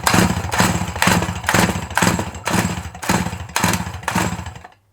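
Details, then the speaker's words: Dolmar 100 chainsaw with its original carburettor: fires in choppy surges about twice a second, never settles to idle, then dies. Rough running and stalling; owner suspects not enough fuel getting through, possibly a clutch issue. "same issue again oh do you hear that that don't sound good"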